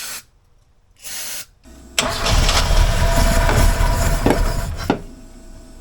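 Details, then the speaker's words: 1976 Alfa Romeo Spider parked 24 years: starter churns steadily about four turns a second for three seconds, engine never fires; cranks but no start. "we're going to use starting fluid on the cylinders that aren't that don't have uh any fuel going to them and we'll see if we can make it run"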